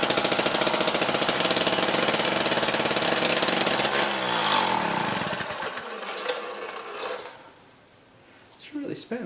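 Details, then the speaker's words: Jiffy Stealth STX 10-inch ice auger, 3 hp Tecumseh two-stroke, fresh 91 non-ethanol fuel after choke start: fast, crisp, even buzz for several seconds before winding down, popping and loud; runs cleanly. "so all right so the jiffy here is running good i mean we put fresh fuel in it and then it was popping off and definitely very loud"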